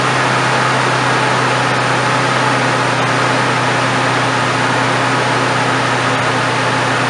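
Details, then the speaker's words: 1997–2005-ish Ford F-150 4.2L V6, cold start just after fan clutch replacement: steady, even idle with smooth low hum, no squeal, squeak, tick or knock, no leaks; normal. "no squeaks I don't see any leaks"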